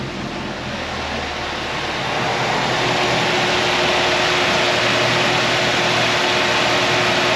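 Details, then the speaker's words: 1955 Chevy truck with LS swap, first runs after 10 years, coolant temperature reading about 223; steady rush of air swells over a couple of seconds and settles evenly as the electric fan kicks on; normal cooling fan operation. "we're looking at this number right there so there's the fan kicking on"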